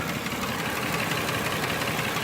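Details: Nissan Murano V6 with code P0303: uneven, lumpy idle with a skipping beat over a noisy engine; cylinder 3 has no compression and misfires, found by a relative compression test without removing the intake manifold.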